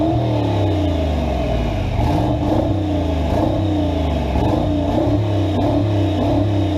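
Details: V8 revving cleanly, rising and falling smoothly with no tick or clatter after repair of a pushrod fault; it pulls and settles evenly and runs healthy.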